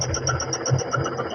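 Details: Fastback with 2,300 km idling: a dull thump about every quarter second over a light buzz; it fades or disappears when the gear lever is pushed down, and the mount (coxim) is suspected.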